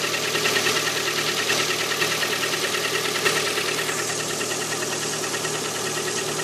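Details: Cold-start idle of a Lada Priora 126-series petrol engine at 10 °C ambient: a hollow, rapid metallic knock about three a second. Piston slap in cylinder four, which stops when its coil is removed; repaired afterwards.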